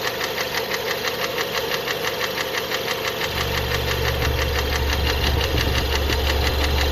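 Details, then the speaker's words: Renault Megane 2 1.6 automatic after an oil leak, warm idle: steady light knock about three per second over the engine note, source not yet located; also cam phaser rattles on cold start. Engine knock when warm. "Вот так стучит на горячую. Вот. Отсюда откуда-то."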